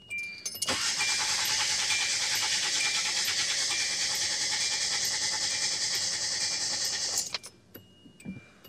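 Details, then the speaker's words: 2010 Hyundai Accent with cylinder 4 misfire at idle, fuel pump relay pulled, relative compression test: starter cranks at a steady, even beat about three per second; compression above 80, likely not the issue. "all right so this is now it doesn't say which one it is but basically anything above 80 I'm okay with so I don't think compressions are issue"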